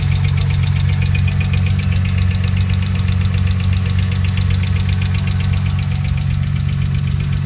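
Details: Porsche 996 first start-up after replacing all tappets on cylinders 1-3, before full setup complete; petrol engine idles with fast, even ticking over low rumble, valvetrain tapping.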